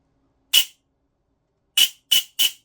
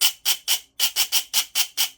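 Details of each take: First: Silverback MDR-X gearbox, 18:1 ratio, firing: four harsh rasping bursts with scratchy high edge; bevel gear sits too low, only catching pinion tooth tips, can't be shimmed higher; smoother when motor pressed up. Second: Silverback MDR-X gearbox, 18:1 ratio, with pressure applied to the motor to fix scratchy noise: even high whirring bursts, no grinding; smooth mesh, the noise traced to bevel gear sitting too low against the pinion.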